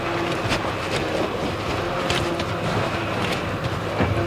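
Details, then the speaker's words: 2008 Honda Odyssey after fixing hissing power steering pump, checked after a couple of minutes: engine hums steadily while the wheel is turned, no hiss or whine; power steering operates normally. "no more kissing sound [Music] all right that's it car is fixed"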